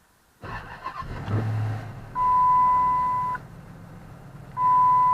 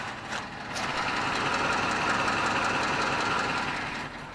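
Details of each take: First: 2007 Chrysler 300C, 5.7 Hemi, ESP/brake assist warning light on: engine catches after a short crank into a steady even idle with a light rev, two chimes; doesn't sound too bad, possible exhaust leak or top-end noise suspected; normal start and idle. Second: 2007 Chrysler 300C 5.7 Hemi, warmed up, idle and light rev: steady V8 idle with light regular tick about four per second; owner suspects exhaust leak or top-end noise, unconfirmed.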